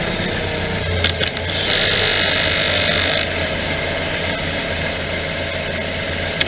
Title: Mazda 3 clicking / popping noise front end